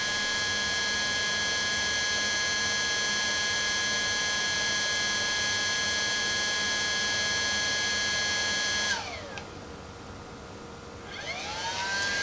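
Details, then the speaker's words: DJI Phantom 4 Pro just after a firmware update: a steady high whine winds down, goes quiet briefly, then spins back up as the aircraft restarts normally to finish the upgrade. "as you can see you heard the bird it had shut down and now it's coming back on now it says upgrade upgrade is complete restart of aircraft"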